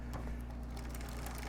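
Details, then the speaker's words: Troxus Lynx fat-tire e-bike (Bafang 750W motor) on kickstand, pedalled in first gear, rear derailleur indexer deliberately turned out; light rapid chain ticking and chatter, chain wants to change gear. Derailleur misadjustment, fixed by turning the indexer back in. "now you can hear a lot more noise and it's almost like it wants to change gear"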